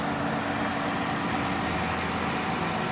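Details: 2018 Dodge Caravan SE Plus wheelchair van, 3.6-litre V6, 36,000 miles, idling under the hood with AC running: even, steady hum, no belt or AC compressor squeal, no leaks; healthy idle.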